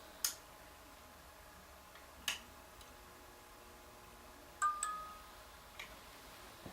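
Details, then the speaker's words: Philips 2xF30T12 fixture converted from instant start to preheat with glow starters: a few sharp, scattered ticks over a faint steady hum as the glow starter cycles; a normal preheat fluorescent start. "So as you can see, the starters give off quite a nice glow when there's starting up the lamps. Quite like that."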